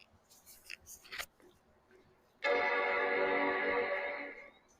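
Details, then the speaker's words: 1995 Macintosh 5300/100 LC powered via current limiter, microphone right at the speaker: single rich startup chord rings clean about two seconds and fades evenly; healthy chime with no distortion. "I mean, I I love it. Uh and the sound was incredible. I don't know if you heard that."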